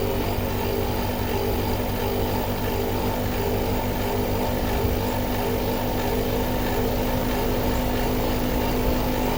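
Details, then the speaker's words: American Standard inverter compressor: loud steady drone with a coarse rattle just before the compressor and system shut off into soft lock with a code; something likely physically wrong inside the compressor; compressor rattle. "listening for a noise that we heard it make just before it turned off in a soft lock. Sounded like something rattling in the compressor."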